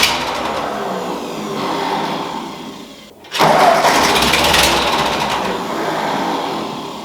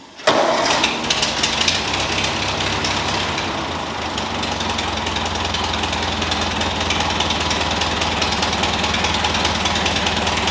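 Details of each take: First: Ford 2N tractor converted to 12 V, with a new coil and a rebuilt carburetor, cranked for the first time: it catches without starting fluid in a short ragged burst, then sags and won't keep running, fuel starvation from a damaged carburetor jet. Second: Ford 2N tractor with a new knock-off carburetor and an adjusted governor, started without coolant yet added: it catches quickly and settles into a steady, even idle with no misses or knocks, a normal idle.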